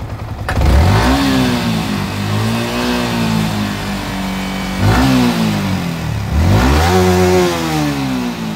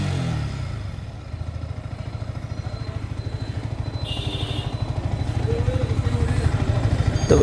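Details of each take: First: Yamaha R15 M BS6 single at 27,714 km revved in repeated blips: a light metallic clatter rides over the rise. The chain and sprocket set is badly worn and the timing chain is also noisy. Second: Yamaha R15 M BS6 at 27,714 km after repairing the badly worn chain/crank parts and refitting the magneto side: even, steady exhaust pulses quicken slightly with revs, with no ticking or rattle; the engine sounds healthy.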